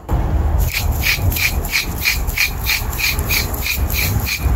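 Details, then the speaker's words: Rear wheel bearing removed from a 2014 Nissan Murano, hand-spun: gritty rasp pulsing about three times a second instead of silent spin; worn, rough wheel bearing, being replaced. "sure if you can hear that but you shouldn't hear that at all on the new one if you spin it like that you'll hear nothing smooth as eggs so this one's definitely bad"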